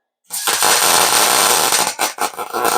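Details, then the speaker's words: MIG welder tacking truck frame: crackling arc keeps cutting out and restarting, jumpy and uneven rather than a smooth sizzle; setup likely off, maybe wire speed. "It's not welding like I like it to. Still a little bit jumpy. Turn the speed down just a little bit."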